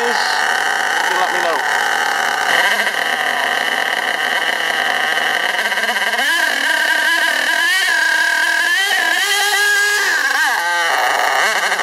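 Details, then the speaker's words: STS D30M nitro engine during run-in: with no throttle input, revs climb and drop by themselves, and at worst it fully revs out and smokes. Cause unknown; surging and over-revving. "you see it's h revving up and dropping down slightly but it does get worse than that and it'll completely rev itself out and smoke up so any ideas"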